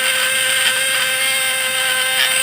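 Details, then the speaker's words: Contact-breaker (points) fish-shocker set to 24 volts, being adjusted while running under output load, with slight sparking that is acceptable. An even, high-pitched buzz that holds steady without faltering. Normal contact breaker buzz. "Nah, ini dia, teman-teman. Sekalipun ada sedikit percikan, itu tidak masalah selama suaranya mantap."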